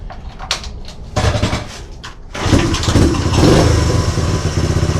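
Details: 1969 Honda CT90 Trail (53 years old) after an oil change to synthetic 10W30 and with the points timed: the small single cranks, catches and settles into a low, even putter before the idle screw is backed off. Running fine.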